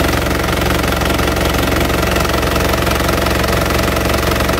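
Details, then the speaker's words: 2010 Isuzu Panther LV 2.5 turbo diesel, fairly warm: even steady diesel clatter about three beats a second at idle, no misses or odd knocks, no blow-by at the oil filler; healthy normal idle. "Mesinnya seperti ini teman-teman, bunyinya masih langsam ya. Ciri khas Panther, dieselnya enak banget bener. Lihat bunyinya ini sudah lumayan panas teman-teman."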